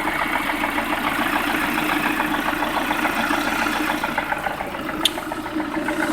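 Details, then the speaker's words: Lada Priora, about 3000 km after piston-group replacement following bent valves, oil switched from Lukoil to ZIC 10W-40, warm idle: light regular knock of 3–4 per second, also present cold; owner unsure if piston or hydraulic lifters. "Я прогрел уже автомобиль вот так на холостом ходу отчётливо слышен стук"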